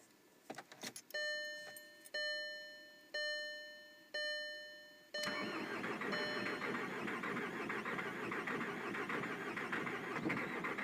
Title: VW Golf TDI 2003 1.9l Crank, but no start.